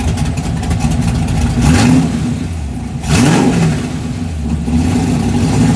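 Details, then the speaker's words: 1988 Ford Mustang LX 5.0 V8 fox-body budget drag car after a home-welded exhaust redo: deep, loud burble with a couple of sharp throttle blips rising and falling cleanly; noisy but healthy free-flowing exhaust. "It's going to be loud as hell."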